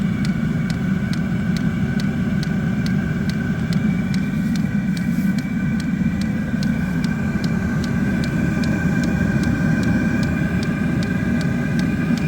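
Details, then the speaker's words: Hcalory 2 kW diesel heater installed in a Town and Country minivan, running after fuel purged through a long fuel line: steady even combustion and fan roar with light regular fuel-pump ticking; normal operation. "okay so this air is starting to get hot now you can hear the diesel heater running so the glow plug has received the fuel and it's getting warmer"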